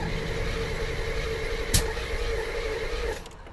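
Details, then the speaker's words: 1984 C4 Corvette, non-runner after a week of work including water pump: steady starter whir with one sharp pop but never catches; ignition and fuel seem present, owner suspects timing. "sounds like we have ignition sounds like we have fuel so it's just got to be timing"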